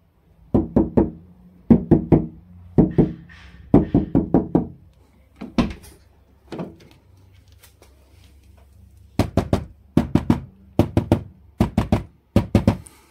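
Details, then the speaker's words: Dacia Spring door, before insulation: quick knuckle knocks on the interior plastic and outer sheet metal ring thin and hollow, as the door has no sound-deadening material at all; hollow door panel resonance. "Dacia Spring nu are niciun fel de material izolant în portiere și din această cauză ați auzit și voi cât de rău sună atât fața de plastic interioară cât și tabla exterioară."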